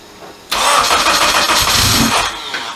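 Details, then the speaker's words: AWD Honda Civic with rebuilt K24 engine, primed with oil, first start after the rebuild: short crank, catches right away, strong even idle without stumbling, alternator charging; normal start. "alternators working man everything all right so first start went off really nice once we got everything working uh it seems good"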